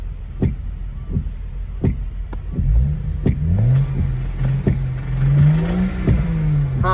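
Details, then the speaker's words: Knocking inside the engine of a 2011 BMW 335xi E90 M Sport, 6-speed manual, auction car with possible flood history; revs rise and fall while sharp, uneven knocks punch through about once a second; internal engine knock, cause not yet found. "it looks like something is knocking inside of the engine i don't know what exactly but at least it runs"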